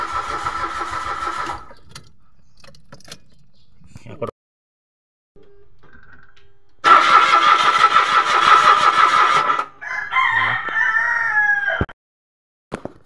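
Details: Mitsubishi Mirage automatic, spark plug already replaced: repeated starter cranking bursts with pauses, engine never catches; no gasoline comes out at the fuel line with key on/off, so there is no fuel delivery and the fuel pump is being checked.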